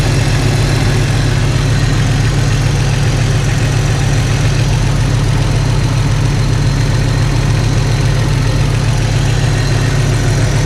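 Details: Jeep Cherokee XJ six idling after swapping in refurbished 4-hole injectors to replace cracked ones, no fuel leaks; deep steady idle, even beat, no ticking, missing or surging, nicer and quieter.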